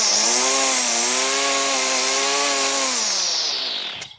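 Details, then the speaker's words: Stihl FS 38 strimmer bought as a non-runner, started with choke: high buzzing two-stroke note holds steady at revs then shuts off cleanly; runs fine, just needs a clean-up and a fuel hose that was bubbling replaced. "as you can see there's nothing wrong with that just wants a bit of a clean up"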